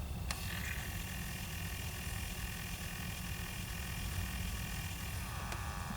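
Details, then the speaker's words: 2006 Pontiac Solstice, ignition on, temperature-control blend door actuator motor before repair: one notch off cold, a faint whir runs about five seconds then clicks at the end stop, going to full travel instead of intermediate stops (only full heat or none). "It should have multiple stops in between those two extremes but that's the problem I'm attempting to fix right there."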